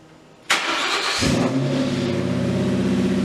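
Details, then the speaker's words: 2004 Mustang GT 40th Anniversary V8, just fitted with Trick Flow plenum and heat-wrapped intake, with 75mm throttle body and Bassani off-road X-pipe, battery reconnected: starter catch, quick flare, then settled even idle with steady low burble, no misses or knocks; normal start and idle. "So guys, seems like everything is working accordingly, so we're gonna go for a test drive and see how it feels."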